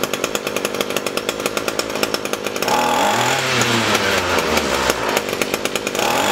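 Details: Echo SRM-225 straight-shaft trimmer, wouldn't run after storage; after diaphragm and air filter replacement and hidden jet adjustment: steady low idle, then picks up cleanly and holds high rev without stumbling; normal running.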